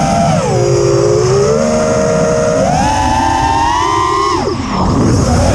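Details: Quadcopter with TBS Bulletproof 25A ESCs replacing LittleBee 20A (signal cap removed), DShot 600, Betaflight 3.1.0-RC5. A loud whine climbs and drops with throttle, with a harsh edge. It persists after demag, timing and DShot 300 changes; cause unknown.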